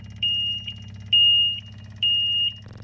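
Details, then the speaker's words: John Deere 997 diesel zero-turn mower with fuel delivery problem, key on: shrill beeps about once a second over low steady electric fuel pump hum as it fills new fuel filter; pump receiving power and working. "is to turn this on you'll hear the alarm but you can also hear and feel the fuel pump vibrating which tells you at least it's getting electricity and pumping"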